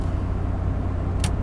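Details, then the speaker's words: Dodge truck rear differential after rebuild with reused old crush sleeve, driving before break-in, a buzzer beeping: steady low road rumble, no whine or howl; normal, quiet rear differential. "everything's right as you can hear right now I don't know if you can or not over that stupid uh buzzer beeping but uh it's quiet I mean it's quiet as a mouse don't make any noise"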